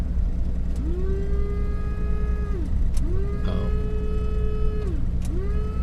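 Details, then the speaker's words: 1949 Dodge fitted with a 6-volt electric windscreen washer system. Three bursts of light electric whine rising to a steady pitch, but no water comes out; the owner suspects jets blocked from disuse. "I can hear it going but there's no water coming out at the moment I think the Jet's probably blocked up from it hasn't been from in uh inactive use"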